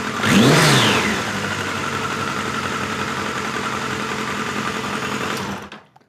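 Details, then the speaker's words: 1986 Voyager XII 1200 four-cylinder after restoration, near-stock jetting (110 mains, 38 slows), slightly rich, carbs still need syncing: fires up with brief rev, even steady idle, then shut off; sounds healthy, normal idle. "So that ain't too shabby, folks. Fires right up, sounds good, idle's good."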